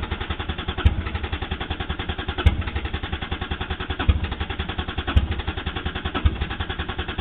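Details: 1JZ-GTE swapped Toyota Supra cranks but won't start: steady starter churning about nine even pulses a second with no firing; previously started and died from a clogged fuel dampener, replaced, ran once, then won't restart.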